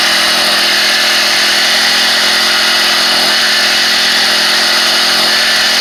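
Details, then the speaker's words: SEDEG 1.5 hp four-stroke air-cooled outboard, about 50 miles of use, run at low throttle out of water: high buzzy steady revving with fine even rattle, normal centrifugal clutch noise. "so you'll hear this this racy rattle that's the centrifugal clutch and um and that's just the noise it makes i wouldn't let it concern"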